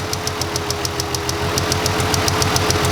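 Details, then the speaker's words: Ford Freestyle 3.0 V6 with cylinder 1 misfire, idling as it warms from cold: sharp snapping ticks three or four a second from the ignition coil arcing internally to ground, worsening as it warms. "Oh, there it goes. Arcing inside the coil again. You hear it? Hear it in there?"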